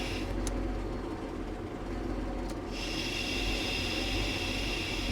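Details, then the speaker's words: 1998 Chevrolet Cheyenne K2500 OBS truck, engine idling: loud persistent airy hiss when the brake pedal is pressed, with engine RPM changing; vacuum leak from a shot seal in the power brake vacuum booster. "All right, guys, if you come down here with the pedal, with the engine running, and we give the pedal a push, hopefully you guys can hear this vacuum hissing leaks out."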